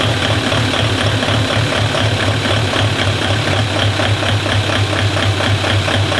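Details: Project diesel car on an ECU with initial timing values just set, warmed to operating temperature, extractor fan running: steady, regular idle beat in an even rhythm with fan hiss in the background; normal idle.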